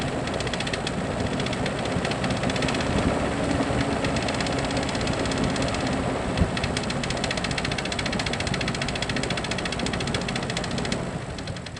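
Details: Jeep Cherokee XJ facelift, 2.5 L four-cylinder petrol engine, skirt broken off the piston in cylinder two: steady hollow knocking about three per second over a rough idle, following engine speed; piston slap from broken piston skirt.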